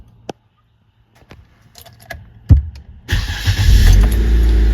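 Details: Cold engine with new Napa Platinum oil filter: key clicks, brief crank, engine catches at once and settles into a steady idle while the oil lamp is watched; clean, healthy cold start.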